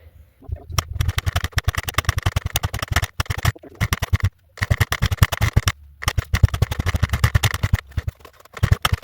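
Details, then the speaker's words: Suzuki SP125 enduro single, bought sight unseen, carburetor just refitted: uneven, stumbling firing with dropouts and surges, never settling; rough running and smoking heavily, owner suspects carburetor needs tuning. "Okay. So, she runs all right. I think it'll run better if I do a little tuning with the carburetor."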